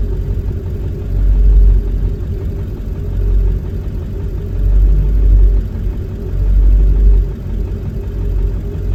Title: 7.3 Rough Idle, IDM code P1316